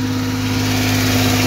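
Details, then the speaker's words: 1978 Porsche 911 SC Targa, 160,000 miles, idling: fast steady even idle with no dip or hunt; can't be adjusted lower, idle fault suspected but unconfirmed, engine otherwise runs good. "I think the engines in good shape you can't adjust the idle any lower than this so something with the idle adjusts through"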